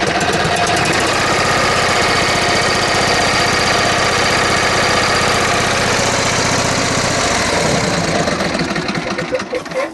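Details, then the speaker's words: John Deere riding mower with twin-cylinder engine, barely running: lumpy, uneven beat of about four pulses a second instead of a smooth twin rhythm; inline spark tester shows no spark on the left cylinder, firing on one cylinder. "Now the John Deere does run, but it sounds like it's firing on only one cylinder."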